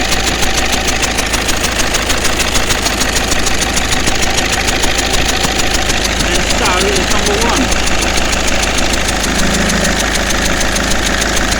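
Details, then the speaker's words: 2009 Mercedes C220 CDI after helicoil repair of popped No. 2 injector (stripped stretch bolt, heavy carbon 'black death'): loud diesel idle with sharp rhythmic chuff each firing pulse; compression leaking past injectors No. 1 and No. 3, which still need doing. "um number two the one the injector that popped out has been repaired and it's all okay but uh now we find that number one and number three need doing"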